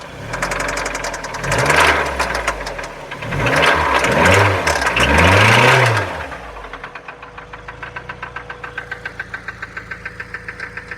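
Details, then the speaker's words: 2004 Mazda Miata with 125k miles at idle: crisp metallic tick about two to three per second that comes and goes, with no check engine light; oil once ran very low and the car sat parked about seven months; owner suspects valves or worse. "no check engine light very strange guys let me know what you guys think this is like sometimes there sometimes disappears sounds like metal"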